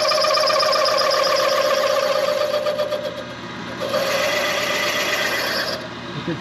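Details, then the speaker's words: Machining Chevy 400 block rear main seal bore for line honing; harsh steady squealing chatter from the cutter, caused by no clearance on the back of the cutter's rake, later sharpened. "working, but I don't really like the rake on the back of that cutter cuz it's that's why it's chattering because there's no clearance on the back."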